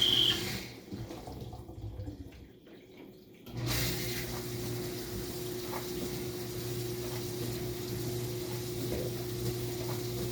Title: Kenmore dishwasher model 587 making loud noise